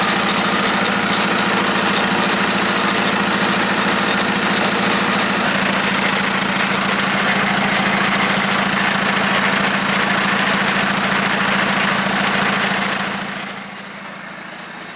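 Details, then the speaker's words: VW Jetta Sport Wagon TDI DSG transmission rebuilt with AWD differential: harsh, steady grinding rasp over a low hum at constant speed; replacement ring gear bolts too long, contacting and shaving the gears. "hey guys so as you're probably hearing that does not sound good and one thing that actually was wrong is i'm going to show you right now yeah you can see that those bolts that i installed they were making contact with the gears"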